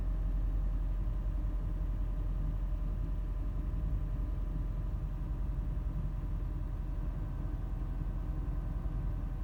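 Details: 2015 Honda Fit petrol engine at idle on every start-up: loud deep rumbling with a faint grinding undertone, loudest in the first five seconds, never going away however long it idles; cause unknown.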